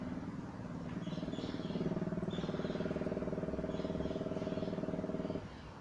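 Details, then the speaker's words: Older carbureted car with distributor-and-coil ignition after reworking the coil pins, carburetor fuel dried up: steady, fast buzzing pulse of about four beats a second for several seconds, then it stops; the electric pump priming the carburetor. "right there that noise was the electric pump pushing some fuel on the carburetor"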